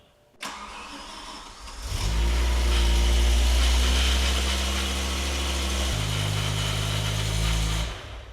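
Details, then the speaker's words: BMW E60 M5 V10, first start after rod bearing replacement with no coolant in yet: cranks, catches, fast idle with faint light clacking, suspected to be the water pump running dry; bottom end sounded smooth. "All right, that didn't sound terrible. There was a little bit of clacking, but honestly sounded like the water pump running dry."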